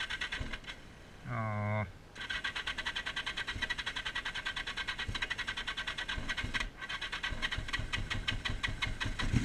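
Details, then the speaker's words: 1981 Yamaha XS1100 running Speeduino, after plug cleaning, owner says it is running rich: thin, lumpy surging idle with uneven pulses at a held throttle, one cylinder barely firing; misfire. "I'm holding throttle at the same spot and I'm surging like this so I can't tell if"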